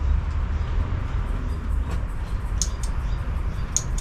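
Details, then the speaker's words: Honda Scoopy (Metropolitan) scooter, non-running project, relay tapped to free it: light relay clicks on each button press but the starter motor never turns; owner suspects a faulty starter relay. "Again, I can hear the starter. I can hear the relay clicking. But no starty farty."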